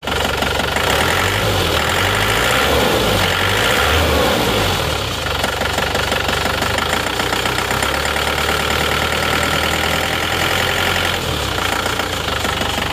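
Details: Isuzu Panther Touring diesel before repair: loud uneven idle with loose tak-tak tapping about three per second, lumpy limping beat and shaking; misfire from weak injector nozzle spray, fixed by replacing nozzles.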